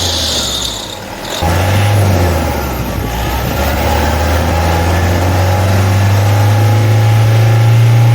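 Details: Toyota D4D diesel picks up slightly, then holds steady low idle with no squeal, chirp or rattle from the belt side; normal.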